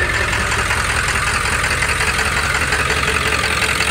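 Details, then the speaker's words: Straight-piped, untuned OBS Ford Powerstroke diesel after lift pump replacement: loud, uneven lumpy idle with harsh rattle. It lopes badly for a moment on first start after sitting, then clears; likely needs injectors. Rough idle, cause not confirmed. "every time you would first start it after it sat for a minute it would lope real bad for a second then it would go away"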